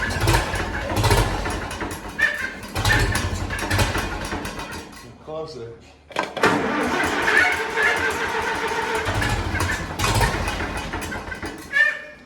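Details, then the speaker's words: Tractor started after sitting over a year, timing believed off and governor possibly sticky; engine surges and sags irregularly, nearly cutting out then picking up, running rough; owner suspects a fuel flow problem. "thank you a little bit of a fuel flow problem or something that's what it sounds like to me"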